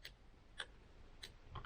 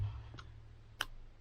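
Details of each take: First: Mitsubishi Evo with LED indicator bulbs, new adjustable LED flasher relay turned fully clockwise; crisp steady relay ticking about three clicks a second; indicator flash rate now correct. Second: Mitsubishi Evo with LED indicator bulbs, new adjustable LED flasher relay set fully anti-clockwise at minimum; sparse single ticks about half a second or more apart over a low hum; flash rate way too slow.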